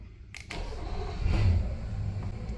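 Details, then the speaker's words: Intrepid 475 outboard: starter cranks briefly, engine catches and runs steady, low and even; gauge shows halfway good oil pressure, no knocking or noises; normal start. "halfway good pressure no knocking no noises she sounds like a yummy purring"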